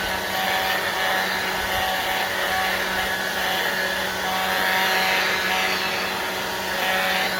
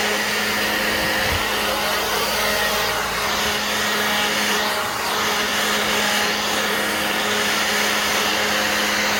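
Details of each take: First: Black+Decker 20V cordless blower on a used battery: steady rushing fan roar with thin constant whistling squeal, probably dry bearing; squeal persists despite WD-40 spray. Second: Black+Decker 20V cordless blower on a new battery, full output: constant air whoosh over unchanging motor hum, no sag or pulsing; running healthy.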